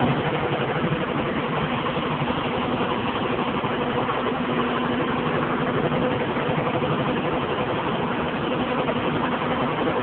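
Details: John Deere 7220 tractor, 6.8L PowerTech diesel, PowrQuad transmission, about 2400 hours, ULSD fuel, idling: rough uneven beat, misfire; injectors and compression checked OK, faulty injection pump found and replaced under warranty.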